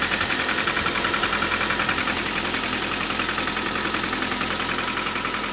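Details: 2019 Lada Granta FL, 3,500 km, morning cold start at minus 14°C: fast fairly even ticking rattle about 3-4 per second over cold idle; engine knock, cause unclear.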